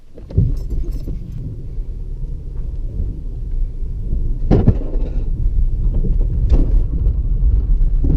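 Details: BMW E36 with no battery, jump-started after the starter was freed by hammering it: it fires after a short crank, then a rough low rumble steadies into idle; the car starts and keeps running.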